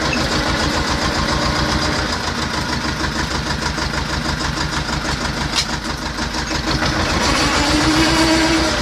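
Even, steady diesel clatter at about three firing pulses a second, no knocks or misses; healthy idle.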